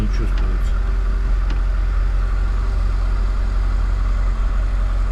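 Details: Lada Niva after fresh oil in gearbox, transfer case and axles, new driveshafts, started for about a minute so the transfer case settles: steady, even idle with smooth low rumble, no knocks or clunks; engine and driveline healthy.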